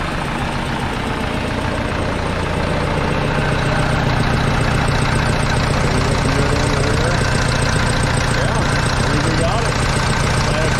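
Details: Case 188D diesel tractor on first fire-up after a full rebuild and injection pump reinstall, throttle worked by hand, not yet warm: steady, even idle at about 2.5 beats per second, no knocks or rattles. Normal idle.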